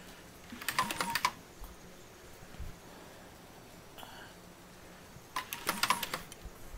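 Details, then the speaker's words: Rebuilt ATK 3.0L engine for a 2004 Mazda 6, out of the car, turned by hand with a breaker bar while priming oil, no oil reaching the camshaft: short bursts of light rapid clicking from the cam chain train, possibly from being dry. "there's also a noise in the cam cam train cam chained about Train know if that's picking it up if you can hear that"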